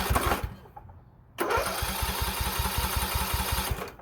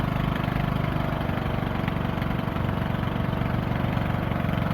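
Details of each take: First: Poulan Pro 18.5 HP lawn tractor that quit in use, found with oil barely on the dipstick: fast, even cranking chuffs with a loud rush from the muffler and no firing; open exhaust valve, low compression confirmed, fixed with a new push rod. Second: Poulan Pro 18.5 HP lawn tractor single-cylinder that quit in use, after oil change and a new push rod: steady even low thrum, no tapping or misses; works good.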